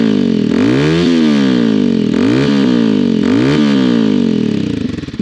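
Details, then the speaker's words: Motorbike with a newly fitted muffler, revved at standstill: several quick blips climb and fall cleanly with a deep, louder but even exhaust note and no rattles; not offensively loud. "does get louder, but it's not offensively loud."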